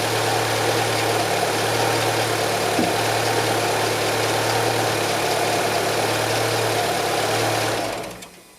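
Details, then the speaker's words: Renault Logan, K4M engine, DP2 automatic, idling about 5 minutes after antifreeze change (Felix coolant) while coolant warms toward thermostat opening at 95 °C; steady smooth low idle hum, no knocks or ticks; normal healthy warm-up. "Запускаем двигатель и даем поработать некоторое время. У меня это около 5 минут, пока жидкость не прогреется и откроется термостат."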